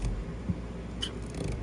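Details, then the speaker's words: E-Z-GO golf cart: pressing the gas pedal trips the accelerator micro switch and a single sharp click is heard as the solenoid pulls in normally. "So when you hit the gas, this here clicks the solenoid."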